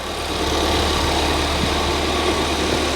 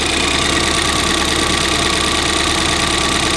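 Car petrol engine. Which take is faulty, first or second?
second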